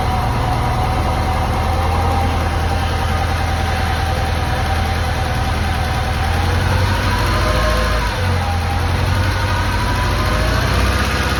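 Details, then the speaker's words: Lancia Delta HF Integrale sat about 20 years, not run for over six, first start after new fuel pump, cleaned lines and four replacement injectors: steady low idle with slightly uneven lumpy beat, occasional misfire remaining. "for a few tries the engine started to run a lot nicer still had a little bit of a misfire but that was fine because this engine hasn't been run in he tells me over six years"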